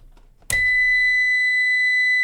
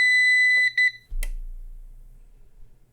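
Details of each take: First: CyberPower 625VA UPS reported bad, powering a lamp load of about 66 W, mains unplugged: sharp high-pitched beep cuts in suddenly and holds steady as the UPS switches to battery; fault not confirmed. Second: Okay, we got some beeps and clicks and a little bit more power usage. Uh, doesn't look bad to me, but who knows?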